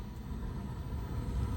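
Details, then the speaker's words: Newer Trane communicating 90-plus furnace in attic, after igniter replacement: burner relights with a low, steady, even rumble, no popping, banging or delayed roll-in; clean ignition, normal burner operation. "but I hear it starting to fire back up and we've buttoned it all up we'll just make sure we hear the burner yep"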